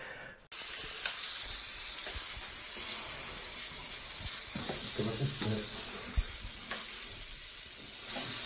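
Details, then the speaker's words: Pressurised water audibly hissing from a leaking supply pipe inside a fully tiled bathroom wall, water escaping sideways and washing out the masonry, recorded before the pipe section was replaced; steady sharp hiss with faint handling noise. "Man hört sogar das Wasser richtig zischen. Hier war seitlich das Wasser ausgetreten."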